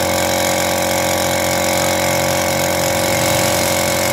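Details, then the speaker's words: Piston air compressor after overhaul replacing worn 6003 crankshaft bearing that caused loud noise: steady even hum, no knocking or grinding; normal compressor running. "[Musik] hasilnya kompressor sudah tidak Berisik lagi hasilnya setelah overhaul perbaikan sangat baik"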